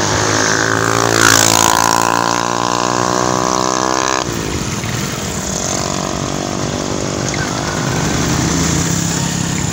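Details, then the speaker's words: Honda XRM110 before overhaul, recorded near the engine: it pulls up through the revs, then after the shift into second a rough, helicopter-like gear noise rides over the motor; a chipped or broken second-gear tooth is suspected. "Kung naririnig niyo kanina yung pinatakbo natin yung motor so pag-shift natin sa second gear maingay"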